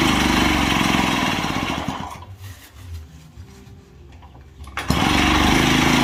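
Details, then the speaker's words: Daelim Trac two-stroke moped, first run after engine removal and inspection, oil feed plugged with a screw as a possible air leak: fires and buzzes raggedly about two seconds, fades and stalls, then catches again; owner unsure fuel is reaching the carb. "All right, that's the most it's run so far. I don't know if it's getting fuel yet to the carb."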